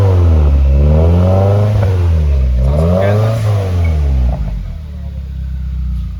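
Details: Subaru WRX FA20DIT engine running after long repair: crisp revs that climb and fall back cleanly, then settle to a steady, even idle; healthy-sounding engine.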